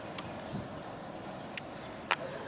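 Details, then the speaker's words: Jeep Grand Cherokee that cranks but won't start, no fuel pump pressure, with actuator test on: sharp isolated fuel pump relay clicks over a quiet hum but no pump output; failed TIPM (totally integrated power module) suspected, not confirmed. "So we're ready, 1, 2, 3, we're gonna turn it on. So actuator test is on. You hear it clicking."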